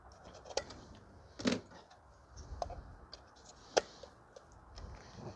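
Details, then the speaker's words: 2014 VW Tiguan 2.0 TSI with parasitic battery drain: a four-pin relay on a bench relay tester under 7 A load clicks sharply and irregularly, dropping in and out intermittently; corroded contacts are suspected. "sometimes there could be corrosion in the contacts that could keep the relays stuck open or in the closed position so it could remain on the entir"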